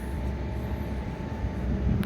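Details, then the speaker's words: Old Comfort Star R22 split-system condenser, breaker tripped, fan disconnected, refrigerant present: low uneven grumble with a faint steady hum; compressor spins but isn't pumping, sounds internally damaged and locks up. "So I got my fan disconnected so we can try to hear the compressor, listen to it grumble. That thing's spinning. It's not pumping."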